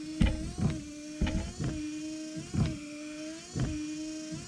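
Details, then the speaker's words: 1993 Ford F-150 after wiper motor replacement, mic up close: new motor sweeps about once a second, droning hum with clunk at each reversal, loud but even; working normally. "like that that sounds loud i mean as long as they work i'm gonna be honest i really kind of don't care that's a new motor they work right now"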